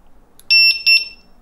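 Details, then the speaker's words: Begode Mten5 electric unicycle, new out of the box and arriving fully charged, powered on: two short bright electronic chirps from the built-in speaker against a quiet background, the normal power-on jingle. "yep there you go let me uh you hear that speaker I did not realize this has a a speaker that that's interesting and I kind of like it"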